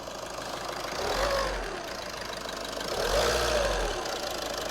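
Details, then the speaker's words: VW Caddy diesel after an oil change with a new filter, no leaks: idling, then two quick throttle blips that rise and fall cleanly with no knock or rattle; normal revving. "Seems alright. Just run it for like a few seconds. Just give it a few revs."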